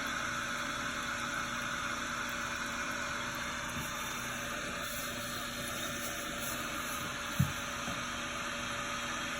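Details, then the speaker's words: Toilet fill valve, water turned back on after a flush: a steady, reedy whine and wheeze over rushing water hiss as the tank refills, a noise said to get worse; the valve is then replaced. "You heard that, right? That noise is annoying. And it gets worse."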